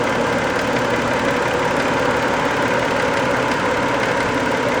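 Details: 1990 Toyota Camry 2VZ-FE V6, warm after a 15-minute drive, idling: light regular tapping, knock appearing only when warm; cause unknown, owner guesses sludge or varnish on a shim or bucket, later went away.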